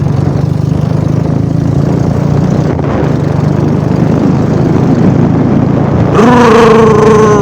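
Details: Royal Enfield Bullet Classic 350 ridden at a steady cruise on a cold evening: a deep, even single-cylinder thump with no knocks or rattles, and a tone rising near the end. The engine sounds like it is running normally.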